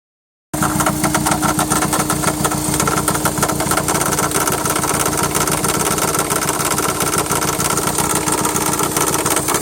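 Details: 2003 Jetta 1.8T petrol engine idling with steady quick ticking, three or four ticks a second; tensioner pulley already replaced without change, owner suspects water pump or power steering pump; cause unknown.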